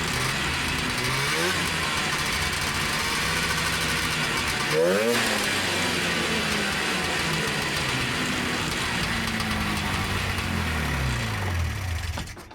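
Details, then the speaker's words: 1977 TX340 two-stroke grass drag sled after clutch replacement, engagement about 5200 rpm; crisp revs climb and fall smoothly through several blips, returning to clean idle, much happier on the clutches. Normal running. "All right, that seems like a lot happier on the clutches."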